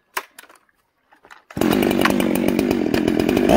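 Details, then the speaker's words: Two-stroke chainsaw during carburetor tuning, high jet adjusted, no load: screams to full revs with a burbling, broken snarl, four-stroking at top rpm; rich high-speed mixture. "you guys hear it four stroke on top listen at the top rpm you can hear it you can hear it snarl that's a four stroke"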